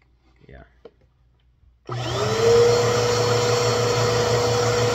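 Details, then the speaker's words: PowerForce Helix 2191 vacuum after washing and reassembly: motor spins up quickly to a clean steady whine with no rattle or grinding; fully working. "But, yeah, we got a completely working Power4 Helix 2191."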